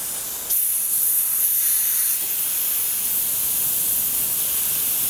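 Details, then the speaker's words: TIG welder shielding gas suddenly hissing steadily from a leaking plastic gas hose before welding. The leak was later fixed by replacing it with a rubber hose. "Before I do anything, I'm going to fix this leak, because that's pissing out."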